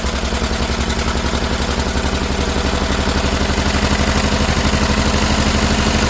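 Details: Old Lister engine, first run in many years after sitting, throttle held open with a stick: crisp, even beat about four firings a second, fast but steady, no misses or knocks; running healthy.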